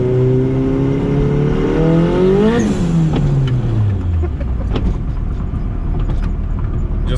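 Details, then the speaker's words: Turbo Honda EF hatch, dyno-tuned 350+ hp, street pull, peak boost 11.6: engine pulls hard with rising pitch, then a sharp blow-off valve whoosh as throttle lifts and revs fall; healthy boost. "how'd that go hunter ready good run the blow-off valve sounds nice hell yeah this thing's a certified ripper"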